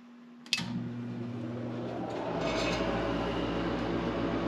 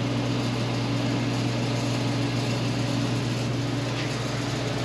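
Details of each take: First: Forced-air garage heater, first start after replacing the heat fan to cure a long-standing rattle and vibration: a click, then the combustion exhaust inducer blower spins up to a smooth, steady hum with no rattle; clean startup. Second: Forced-air garage heater blower, noisy since installation, runs with steady buzzing hum and rough rattling vibration; owner pulled the fan off and thinks he found the issue.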